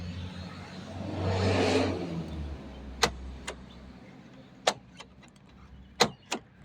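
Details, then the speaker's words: BMW X5 with a newly cut key, after the remote did nothing and the key would not turn: several sharp, clean clicks about a second apart as the lock cycles; actuator working, though something jammed in the lock still needs removing. "So the key works, unlock, and you can hear it."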